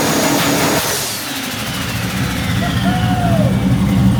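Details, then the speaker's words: A 1974 turbo Camaro, fixed after valve-train clunking and a failure to idle (a broken rocker was suspected), revs crisply with the exhaust open and reaches about 13 lb boost, no misses or knocks: healthy revving. "That was like 13 lbs. No way. Fixed. She's fixed. That sounds spicy."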